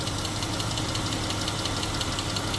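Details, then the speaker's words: 2015 Jeep Grand Cherokee 3.6L V6, 63,600 miles, check engine light and stuttering, with misfires on cylinders 3 and 6. Hot idle: a light, quick tapping under the hood, cause not yet determined. "also I hear something tapping under the hood which that's not good when it's a 36 but might not be that bad I don't know yet"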